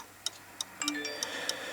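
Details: Pendulum clock after being shifted back while setting the beat: crisp tick-tock about three beats a second with fairly even spacing; close to in beat, about the best adjustment achievable.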